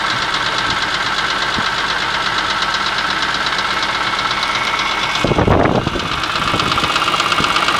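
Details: BMW E46 M3 petrol six at idle after a used block was fitted with the original head, Vanos and cams following a rod/piston failure and debris: fast, light metallic rattle over a whirring, hissy top end, cause unknown.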